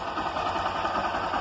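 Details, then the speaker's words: Honda Titan 160 motorcycle after cam (timing) chain replacement, which cured a customer's engine noise without engine rebuild: even, steady single-cylinder idle pulses, no chain rattle or top-end clatter; normal idle. "E aí eu vou ligar para vocês verem que aquela zoada vai sair e não precisa fazer o motor da moto né"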